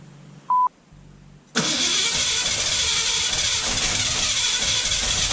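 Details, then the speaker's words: 1966 Mustang coupe with factory V8 and 4-speed, after swapping the rubber pump-to-carburetor fuel line for a hard line with an Edelbrock 8131 kit: after a chime the starter spins with a steady, hissy whir but the engine never catches. Cranks, no start. "okay why won't you start you pig"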